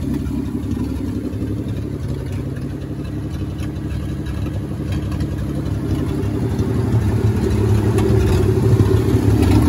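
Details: 1952 Dodge M37 3/4-ton military 4x4, first start after sitting over ten years, oil just changed with an additive, still smoking: low, lumpy idle with an occasional stumble; intermittent miss, owner suspects carburetor or stuck valves.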